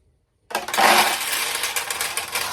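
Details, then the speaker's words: 1969 Nishijin Model A pachinko, restored single-shot conversion: burst of ball clatter rushes in then thins as the tray fills and a weight-operated rod stops the feed; normal refill noise heard during play, nothing to worry about. "So when this tray needs more balls, it will allow this to open and feed more balls in. So as you're playing, you may hear that happen, and that's not to worry."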